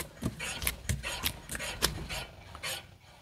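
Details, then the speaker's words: 250,000-mile Eclipse GSX, after replacing rear wheel bearing: hand-spun wheel gives only a light repeating brake-pad rasp, no bearing growl or rumble; brake noise normal, bearing healthy. "that's good perfect can't hear anything all silent except for the brakes yeah we're good"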